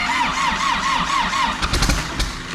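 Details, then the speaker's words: Diesel engine from a rolled, wrecked Caterpillar backhoe, after a fix so it cranks faster: steady starter cranking, then a few ragged firing puffs that almost catch and die; close but not starting yet. "all right slingshot engage she close she coughed one more time"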